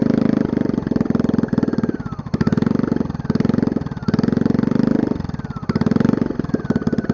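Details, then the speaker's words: Small single-cylinder generator engine, sat for years in a pumphouse, run with air filter on, big muffler off on a rusted header pipe, flywheel exposed: idle surges and sags about every 1.5 s; rough idle, owner suspects choke, cause unclear. "so even with this air filter on it still has trouble idling i think it has to do with the fact that this choke i don't know so something weird going on"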